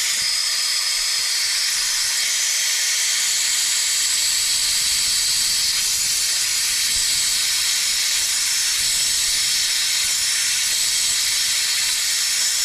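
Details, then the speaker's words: Stuart 10V model steam engine on compressed air, raised from 18 up to 30 psi: only a steady high hiss of air rushing through with no engine beat; it barely tries to turn. Air is escaping past the unseated slide valve. "Well, even up to 30 pounds, you could see it would try a little bit coming up here to want to run, but no. So, well, we know that we've got a problem with our slide valve up here, right underneath here."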